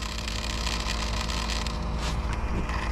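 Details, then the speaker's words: Ford 7.3 Power Stroke diesel, after a fuel filter change with key cycled to prime: steady pump hum with wet gurgling as air purges back to the tank; normal priming, no leaks. "Okay, that's just the gurgling. Scared me now. Looking good."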